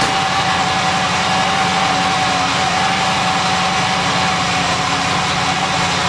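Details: 1979 Lincoln Continental Mark V Bill Blass edition, about 49,000 original miles, cold start after sitting 8 years on a new AGM battery: smooth steady low V8 rumble with a faint constant whine, no stumble or misfire; normal cold idle.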